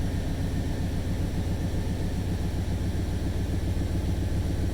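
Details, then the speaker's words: 1995 Chevy Suburban V8, first start after a head rebuild, timing not yet set: smooth, even idle with a faint quick puffing tick riding the firing rhythm. It is a known exhaust leak, to be fixed first. "definitely an exhaust leak that's purring right now that's purring like a kitten checking for leaks alternator coolant definitely an exhaust leak but i knew that"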